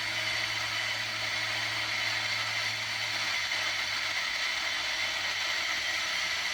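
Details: Unitra Eltra Alicja R-701 radio, FM (UKF) band on second station preset with wire antenna: steady even dead static, no station received; no FM reception, before signal-generator test of the head at 65–73 MHz.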